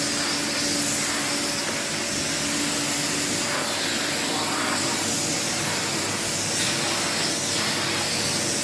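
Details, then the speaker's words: 1979 Electrolux Z96 cylinder vacuum on second hose with small air aperture open: steady loud hissing roar with slightly laboured, tight tone that doesn't free up; motor strained, aperture made little difference; cause uncertain. "it still sounded even with that little aperture open just a slight bit still sounded like it was kind of a bit tight"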